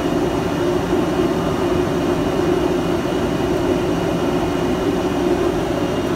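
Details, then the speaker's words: Quincy screw air compressor running quietly and smoothly while building pressure: steady, even hum with a constant tone and no knocks or rattles. "so anyway she runs really quiet you know and smooth I've really liked it from that point of view and you see it building pressure there"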